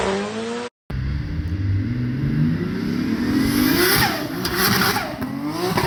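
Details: Mazda RX7 FC, billet semi-peripheral/bridgeport 13B rotary, first start after new wiring loom; catches and revs freely, pitch rising and falling cleanly without misses or rattles, healthy.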